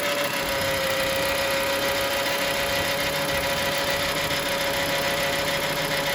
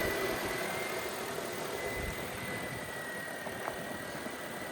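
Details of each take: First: Engine idling with a loose, uneven ticking-knock and steady mid-pitch hum after sitting unstarted a while; decided it is the water pump bearing, but the fault persisted after replacing water pump and alternator. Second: Car at idle after replacing a bad pulley, having already replaced the water pump and alternator needlessly: quiet, steady idle with no belt squeal or chirp. The squeak is gone.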